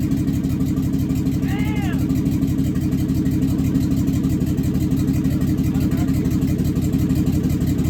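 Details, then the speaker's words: Used marketplace 6.0L LS V8 on an engine stand with a standalone harness, freshly started for the first time. Deep, steady rumble with an even firing beat and no knocks. Oil pressure is unverified and a little smoke was noted. Normal running. "Success. That wasn't that loud. First time."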